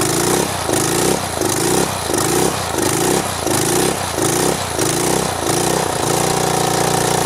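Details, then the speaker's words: 2700 psi power washer engine after swapping in the pump from an identical unit. About nine rhythmic pull-cord cranks, then it catches and settles into a steady, even run: normal start and running. "all right it's running I'll take it over here"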